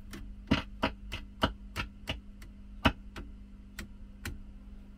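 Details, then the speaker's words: Early-mid 1960s Selmer Truevoice Treble & Bass 50 valve amp after full recap, on variac near 240 V: low steady hum with sharp irregular pops as bias drops and a problem appears; shut down to investigate. "have a problem so we shall shut down because of that and do some investigating"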